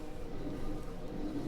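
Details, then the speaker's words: Old Italian Centauro C bandsaw, likely dropped, bent arm: low rough grinding rumble as the shaft is turned by hand with effort, from worn pillow block bearings needing replacement. "of bearings that need replacing yeah grinding yeah does it feel good doesn't sound good"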